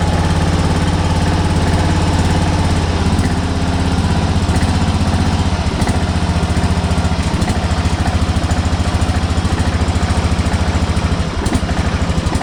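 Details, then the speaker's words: Kawasaki FB460V engine, after years on ethanol gas, suspected carbon fouling treated with new plug and a bottle of Seafoam: steady low thrum with even beat, no stumbling or misfire; runs clean, sounds really good. "she actually sounds really good uh that's kind of a testament to that seafoam stuff"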